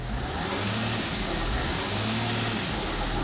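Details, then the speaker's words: Dodge/Mercedes Sprinter van in limp mode with code 2510 (boost pressure regulator positioner error), check engine light on and unable to exceed 40 mph: loud airy hiss under the hood or vehicle that grows with acceleration; source not yet found. "So when I accelerate, I hear a hissing sound coming from under the hood. It sounds like there's a hissing sound coming from either under the hood or under the vehicle."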